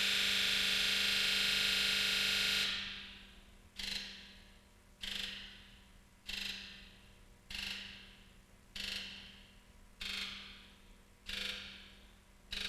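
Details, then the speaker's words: Injector buzz test run from a scan tool with key on, engine off. One long buzz from all injectors together, then each injector buzzes separately in sequence; a fault code is set if an injector's resistance is out of spec. "during the injector buzz test what will happen is you'll hear the injectors buzz once all together and then independently they'll buzz one at a time"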